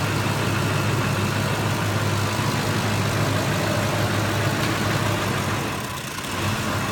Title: 2005 F150 5.4 triton rough idle and dies